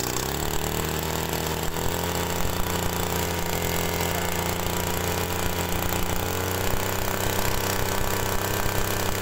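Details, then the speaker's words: TU26 two-stroke agricultural sprayer engine, brought in for excessive fuel use, after adjusting the carburettor's low-speed mixture: steady even buzz at mid throttle with no hunting or popping; mid-range still slightly rich but acceptable, as leaner would stall at idle. "nah sebetulnya ini e kondisi campuran tengah ya campuran RPM tengah itu masih agak sedikit keborosan cuman itu enggak jadi masalah menurut saya"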